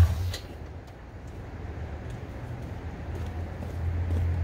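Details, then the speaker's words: Dodge Dakota turbo 5.9 V8, exhaust and downpipe now hooked up, belt and 2003 Ram power steering pump fitted, stock injectors, untuned: deep, steady low rumble at start-up and idle, no misses or knocks; healthy. "i'll go ahead and give it a start up for you guys so you can hear it now with the exhaust system all hooked up"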